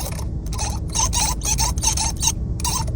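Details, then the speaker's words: Tesla Model X, newly delivered, left steering-wheel scroll wheel being rolled: quick bursts of dry, raspy creaking two or three per second; left scroll wheel creaks, right one is normal. "这个滚轮它也有异响呀，右边这个就没有，按正常的。"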